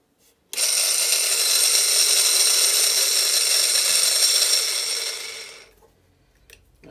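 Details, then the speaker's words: Bait boat motor not yet repaired, with very bad bearings. High, harsh whirring rattle with fast gritty chatter for about five seconds, then spins down; a rebuilt motor is much quieter. "it's not one i fixed yet bearings all very very bad in that one"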